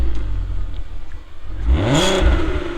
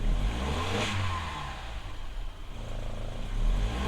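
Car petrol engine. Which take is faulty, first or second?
second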